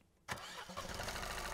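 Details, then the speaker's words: Fiat 500 two-cylinder TwinAir, recorded by NVH: the engine cranks and catches from cold, then runs rough and uneven with a clear misfire and high 0.5 engine-order vibration. This settles as the revs drop to idle. "And you'll notice straight away there is a clear misfire there."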